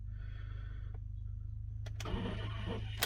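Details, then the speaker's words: Intermittent starting, battery and wiring judged not the cause, takes three key turns to start: brief click and dead pause with no cranking, then another attempt; faulty starter motor that needs replacing. "This is why I don't think it's battery related or wire related. So it takes 3 times to start this, so I turn the key, listen to what it does."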